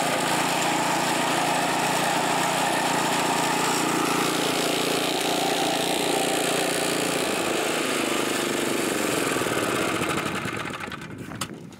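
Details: California Trimmer mower, small single-cylinder engine, mowing dead grass after repair and carburetor fine-tuned an eighth to a quarter turn to stop surging; steady even beat, no surging, then winds down smoothly; healthy.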